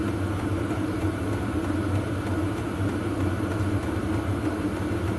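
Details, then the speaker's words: VEVOR 8kW diesel heater on auto, 54°C outlet air: steady even roar with low rumble and soft fuel-pump ticking underneath, no surging or misfire; exhaust noisier than pump; healthy normal running. "54c that's on the auto say it's running really well and putting out plenty of heat yeah that's good so that go a long way to warming up the workshop noise wise there's more noise from the exhaust than there is from the pump"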